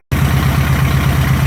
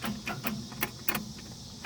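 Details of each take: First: Chevy LUV 4x4 with initial timing set to 10° and the carburetor mixture screws adjusted, pulling about 18 inHg of vacuum: steady, smooth idle hunting very slightly from a cylinder bias; normal idle. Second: Chevy LUV 4x4 carbureted engine, dead cold with no choke, after idle mix screw adjustment: cranks, catches, then lumpy uneven idle that still holds; rough until warmed up.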